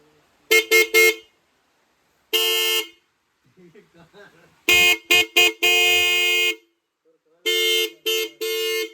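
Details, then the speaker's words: Motorcycle horn newly wired through a relay, sounded in heavy rain: loud clean blasts, quick triple taps and longer holds at steady pitch and full strength; rain partly masks it, horn working properly. "इधर काफ़ी ज़्यादा बरसात हो रही है, इस वजह से हॉर्न की आवाज़ कम आ रही होगी और बारिश की आवाज़ ज़्यादा आ रही होगी। बाकी हॉर्न बहुत ही तगड़ा है भाई, आवाज़ बहुत ज़्यादा है।"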